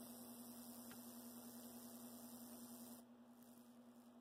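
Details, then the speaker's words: Athearn Blue Box SD40-2 tuned motor at low creeping voltage, unloaded on bench: soft steady low hum, no rattle or surging; healthy, as it should sound. "Yeah, so it doesn't have a ton of torque. So I'm guessing your kind of creeping speed is going to be more around 4 or 5 volts. With no load, it should sound like that."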